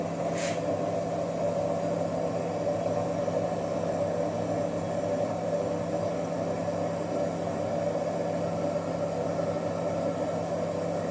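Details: Frigidaire worn-out drain pump running with steady loud buzzing hum and rough, rattly whirr.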